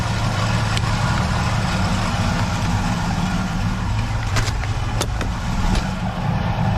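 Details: 1976 Chevrolet Nova V8 idling after repeated dead batteries, brand new alternator, gauge reading 14.7 V while charging: steady, low, even rumble with faint background clicks; engine and charging fine, battery confirmed as the fault.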